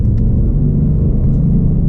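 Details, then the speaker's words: 2021 Mustang Mach 1, 10R80 10-speed rebuilt under warranty, 21,000 miles, in S mode; steady engine rumble through a clean downshift with no clunk or lurch, unlike its harsh shifts into second. "that one's smooth"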